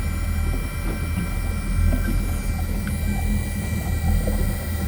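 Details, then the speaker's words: Boston Whaler's Mercury Gen 2 steering actuator system after replacement, fluid reservoir found empty and being refilled: low steady groaning hum with wavering moan as pump works, air in the power steering system. "I need a little more fluid. Just make some weird robot noises."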